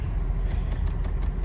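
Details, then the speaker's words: 2006 Honda Odyssey EX-L, engine running: faint quick ticking, about seven a second, in each door as the passenger and rear windows fail to move, though the driver window works; failed master window switch, suspected bad circuit trace. "there's a little clicking you can hear in each of the doors but they're not going up and down so this is not uncommon"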